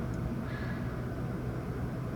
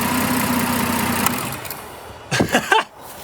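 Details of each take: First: Toyota petrol engine that stalled and hunted at idle, after the fix and computer reset, moderately cold start: even, low steady hum, quieter than before, dropping to a much more normal idle instead of about 1,500 rpm. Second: Toyota petrol engine with erratic idle and stalling when braking; the MAF sensor had been unplugged for a test. Reconnecting it makes the idle sag low and uneven, then the engine dies. Owner suspects a faulty mass airflow sensor.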